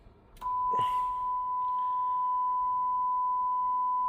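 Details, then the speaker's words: Denon AVR-X1200W receiver after repair of blown left channel botched by a previous shop: signal generator feeding only the left channel into speakers, pure steady tone with clean sine wave on scope, no buzz or distortion; left channel repaired. "and you can see there we're getting a nice clean sine wave and of course you can hear the tone"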